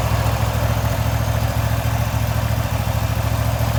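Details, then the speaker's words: Restored Wright Stander X mower running normally: steady, even low thumping at a settled idle with no knocks, misses or rattles. "So I'm sure you guys are wanting to hear this thing run, so let me go ahead and start it up for you."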